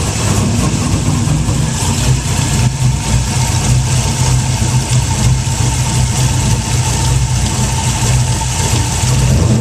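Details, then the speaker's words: 2004 Pontiac GTO LS1 V8 with aftermarket cam (20,000 miles) and heads (8,000 miles), idling: light, fast metal-on-metal tick under the low rumble; lifters on one side looked fine, owner suspects it comes from low down on the other side. "But it sounds like a metal on metal tick, tick, tick, tick."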